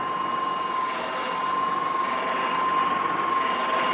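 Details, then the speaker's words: Reel mower in a Allett Stirling-51 versus Swardman Electra 55 comparison: a steady high whine with a faint, irregular rubbing vibration from a support plate, heard when moving up and down; harmless, not damaging. "it's not a big deal like it sounds like it's like doing some sort of damage but it's not it's like there's just some kind of rubbing noise"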